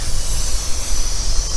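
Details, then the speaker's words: Big crane pulled by a Peterbilt with a blown rear tire, recorded at the rear: a constant high hiss over a low idle rumble. The observer suspects a busted air line is leaking. "It's got a blown tire in the back there. It sounds like he busted an airline. You can hear it leaking. It's right there."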